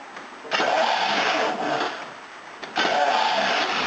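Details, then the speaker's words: V12 engine that has been starting hard lately, restarted after 1 minute off in the rain, with good spark, injector pulse and fuel: starter cranks in two bursts and it doesn't catch cleanly; injectors flooding is suspected. "Got fuel. It just won't go. [Applause] Yeah, it's been doing this a bit lately."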